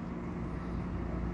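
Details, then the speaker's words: Webasto Thermo Pro 90 diesel heater on a Garcia Exploration 45 yacht running with the door open and all three thermostats on minimum: a quiet, steady fan and pump hum, not loud; one unit reads about 53–56 and the saloon 42–44 degrees; normal. "it's just normal boat fan noise boat pump noise it's not loud or anything like that you can compare the sound of my quiet voice to the sound of the webasto running with the door open"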